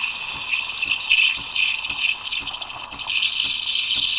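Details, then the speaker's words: Breville Barista Express steam wand steaming milk; sputtering gulps about three times a second instead of a smooth steady hiss. A poor steaming start; the wanted sound is a steady hiss. "that wasn't a good start but let's see if we can recover this"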